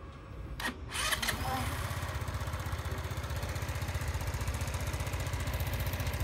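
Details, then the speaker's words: Sym Jet 14 fuel-injected scooter with idle raised as emergency fix so it doesn't die off throttle: brief start clatter then quick even fast idle; hoses, valves checked OK, heat/ECU suspected. "das war jetzt nur eine Notfallmaßnahme um nach Hause zu kommen dass der Roller nicht jedes Mal wenn ich vom Gas gehe ausgeht also so schaut es jetzt"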